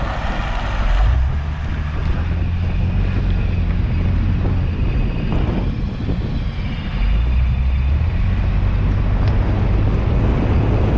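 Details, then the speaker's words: Lexus GS300 that had sat unused for a long time, heard while driving at the rear axle: rough, rhythmic scraping that pulses with wheel rotation, louder than at the front axle; the rear brake is grinding, with the noise put down to corrosion. "das klingt auf jeden fall schon mal schlimmer als von der vorderachse"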